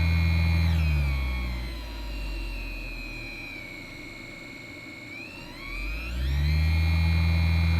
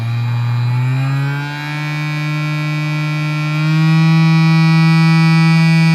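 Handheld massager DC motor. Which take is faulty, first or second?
second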